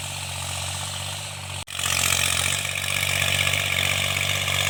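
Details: Tractor diesel under field load during cultivation after the mechanic fixed its engine knock: pulls steadily with an even beat, no knocking or clatter left; running healthy.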